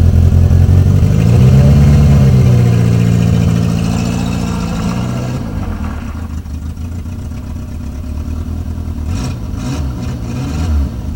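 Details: Renault 19 after engine repair: engine revs up smoothly and drops back to a steady, even idle with no knocks or rattles; running healthy.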